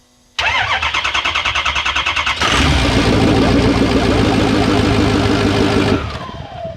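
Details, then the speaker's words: 2004 Ford F-250 6.0L diesel with a fast-crank no-start: the butterfly valve in the intake elbow was stuck shut, so there was no compression; after tapping it free the engine cranks briefly, then fires and idles steadily. "fires right up again crank it the valve was stuck shut"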